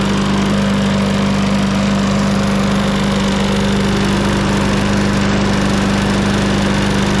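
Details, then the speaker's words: 2021 lawn mower started on the first pull, with oil in the muffler burning off. Smooth, even engine note with no misses, knocks or rattles. Normal running. "that was first pull you it seems like we had some oil in the muffler but that's all burning off now"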